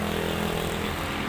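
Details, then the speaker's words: Used automatic scooter at idle during a pre-purchase check: an even, steady hum with no metallic clashing or knocking. The engine runs smoothly and sounds healthy. "kalau kita Nyalakan suaranya masih standar-standar aja nggak ada suara kayak apa ya kayak besi tabrak-tabrakan gitu ya itu aman"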